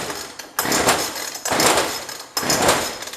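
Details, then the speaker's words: Jonsered 2036 Turbo chainsaw, bought non-running and previously tampered with, cold first start: three sharp high-pitched revving bursts about a second apart as it fires and responds cleanly to throttle; running fine. "I would say we've got it I'm gonna let it warm up for a little bit"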